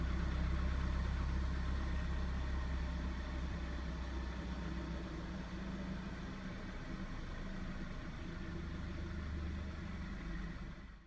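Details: 2011 VW Passat B7 1.4 TSI manual, 160,000 hard km, cold start at 12°C after a day outside: light metallic rattle and a thin, loud high whistle at idle. Rattle cause unknown; owner believes the whistle comes from the turbo or catalytic converter.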